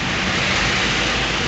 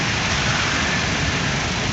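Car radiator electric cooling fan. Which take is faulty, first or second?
second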